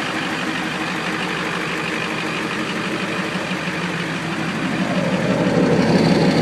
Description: Trying to figure out my little tick I have